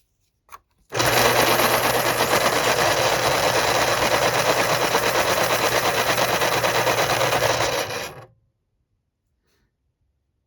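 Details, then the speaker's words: Thrift-shop Panasonic Point-O-Matic KP-33N electric pencil sharpener, first test: even buzzing grind about seven seconds, slightly rough at the end, then stops almost at once with little coast-down compared with an identical unit; owner wonders about oiling. "this one seems to stop spinning a little has a shorter spin down time I guess that's what we're going to call it"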